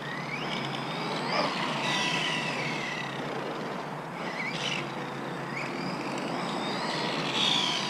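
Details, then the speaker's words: Arrma Outcast 4S BLX on 4S, after tightening slipper clutch: harsh gritty roar with whines rising and falling with speed; far louder than owner's 3S, suspects bad gear mesh or controller, cause unclear. "still sounds super loud man I don't know man the gear mesh is bad or something man something ain't right"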